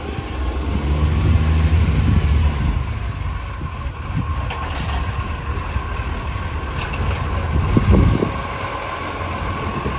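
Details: Mitchell garbage truck 1040, diesel at idle and revving: fast, uneven ticking puff over the low rumble, rising with revs; exhaust leak.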